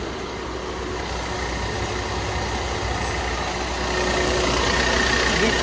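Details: Maruti Dzire after AC compressor clutch set replacement for a burnt bearing noise, gas refilled: steady engine hum with faint constant compressor whir, no clicking, grinding or rattle; compressor running normally.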